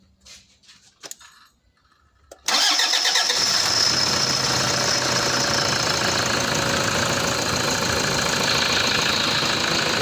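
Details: Diesel Toyota Fortuner that stalled on the highway from running out of fuel, started after the primer pump was pumped hard to feed the mechanical pump; weak battery, faulty starter and dirty MAF sensor and injectors noted. Catches at once and settles into steady, even clattering idle, running right.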